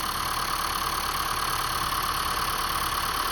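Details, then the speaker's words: 2015 Honda Fit at 90,000 miles, after valve cover work, warm idle: light, quick even ticking about three per second over a smooth idle; normal fuel injector tick, less ticking than before. "Oh, now you can hear the ticking. That's the injector. You hear that ticking? That's the injectors."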